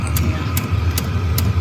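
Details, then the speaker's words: 5kW diesel heater installed externally in a motorhome's outside locker, with its own fuel tank and boxed pump, ducted into the Truma blown-air system. A steady fan and burner hum with a soft fuel-pump tick about every 0.4 s; normal operation. "Can you hear that? That's that diesel heater working. Steve's fixed into the van, so next winter, if we are off grid, and even if we aren't, we'll still be toasty warm."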